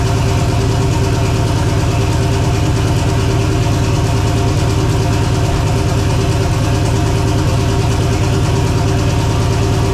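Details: Engine with spun rod bearing despite good oil temps and pressures, high air temps leading to detonation: loud, fast, steady knocking over rough idle; rod knock.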